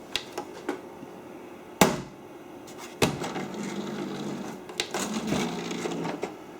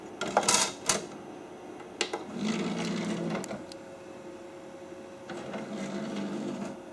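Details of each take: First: Original Xbox that boots normally but won't read discs: the tray pulls in with clicks and clunks, a short motor whirr, then the disc is ejected immediately and not recognized; cause not yet found. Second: Original Xbox, powered on at the bench, eject button pressed with a disc in: a few clicks, then a short whirring motor run twice as the DVD tray slides out and back; the disc ejects and the mechanism works normally.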